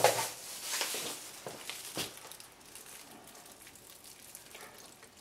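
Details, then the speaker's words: 1997 Renault Twingo 1 during coolant refill and bleeding, engine off: irregular soft bubbling and gurgling as air works out of the cooling circuit, which is normal. "entendait des gargouillements c'est normal c'est l'air qui s'en veut"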